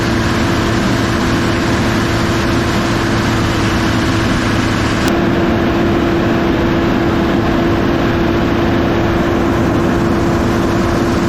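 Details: Kobelco SK250 excavator, believed 2006, diesel, after exhaust manifold replacement; strong steady roar at raised revs with constant turbo whistle heard in the cab, now making boost, revs more responsively; smoke is cosmoline burning off; normal high idle.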